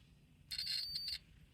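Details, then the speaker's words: Multimeter set to diode/continuity mode, probes touched together while checking whether pins on a 4-pin connector are linked: one clean high-pitched beep about two-thirds of a second, continuity check working normally. "if something is short-circuited, I should hear that. So whenever you want to check continuity on a circuit, that's a very useful basically feature on a multimeter to use basically."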